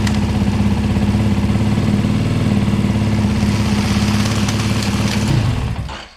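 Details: 2024 Beta 390 RR-S after metal oil-pump gear upgrade and oil refill: even, steady single-cylinder idle at about three and a half pulses a second, no ticks or knocks, then clean shutdown; healthy.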